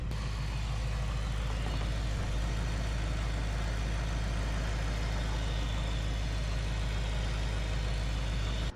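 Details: BMW S65 V8 (fuel filter kit just installed) restarted after fuel pump fuse refitted, airbox off, checking for leaks: deep, smooth, even V8 idle holding steady with no stumble, tick or knock; normal healthy idle.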